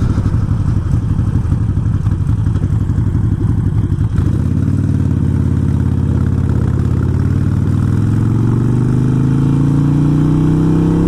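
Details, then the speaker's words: 2007 fuel-injected Harley-Davidson Nightster XL1200 being tuned with the Screamin Eagle Pro tuner: loud V-twin loping, revs climbing, irregular pops and crackles through the exhaust on deceleration as the throttle comes off. "a lot of people complain about their D cell you can hear that popping right now"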